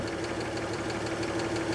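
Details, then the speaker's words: 1938 Chevrolet Master Deluxe coupe inline six idling, checked with timing light on number one cylinder, mark nowhere near pointer: busy uneven ticking, slightly harsh beat over steady hum. Ignition timing out of adjustment, needs resetting at distributor. "you can see the strobe is strobing every time that cylinder hits on number one cylinder and that ball is nowhere near i don't even see that white ball period so this thing is not in time"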